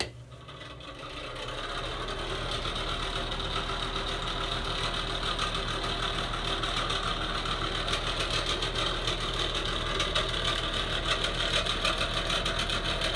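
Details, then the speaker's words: Bathroom exhaust fan motor, before replacement: steady hum with fast regular ticking about three to four clicks a second that never settles; motor failing, likely from heavy dust and dirt buildup. "As you can hear, mine is in pretty rough shape."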